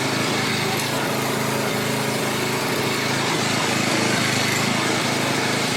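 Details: 7-year-old Craftsman 28-inch walk-behind, after cable repair, warming up: single-cylinder engine runs a steady, even fast beat with no misses or knocks; 3240 RPM measured, sounds good.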